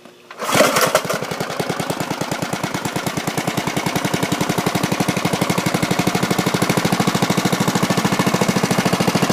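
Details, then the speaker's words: Bolens mulching mower with 3.5 hp Briggs & Stratton, after new spark plug, cleaned carburettor, sharpened blades, fresh gas and oil change: catches right away and runs with an even, quick single-cylinder beat, no misses. Normal running. "I sharpened up the blades, put in new gas, and changed the oil, and it runs really well now. Let's hear how it"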